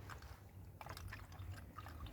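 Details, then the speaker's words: Mark One coolant refill, filled to max with the cap off; the system has no bleed nipple and self-bleeds: soft, irregular gurgling and glugging as air burps out. This is normal coolant gulping during filling. "you can hear that gulping right we're going to leave that I've just filled it to the max we're going to leave that for a few minutes let the air burp out the system"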